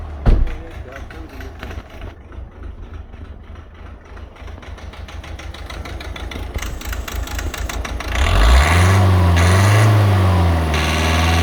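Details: Volvo C30 1.6 diesel with Siemens injectors: sharp, regular clatter about three times a second over the idle that persists when revved; faulty injectors.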